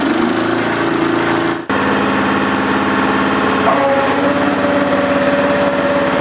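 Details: Honda HS928 snowblower after auger gearbox repair, started with the choke on. The engine catches and settles into a steady, even run, then a smooth tone comes in as the auger spins; all sounds healthy.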